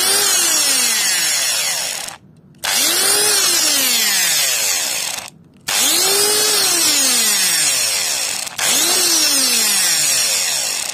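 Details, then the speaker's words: Angle grinder about 8 years old, after brush (carbon) replacement: four short bursts spinning up to a clean even whine; earlier muffled, rough noise gone, attributed to loose brush holders. "o boğucu ses kalmadı"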